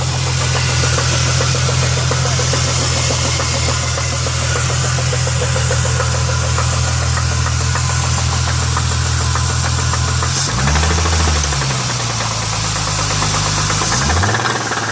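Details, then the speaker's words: 2000 Chrysler 300M started and held at about 1,000 rpm gives a deep knock roughly three times per second that is felt inside the engine and judged internal. A rod knock is suspected, not confirmed. "Yeah, you can feel it right in there. It's definitely internal."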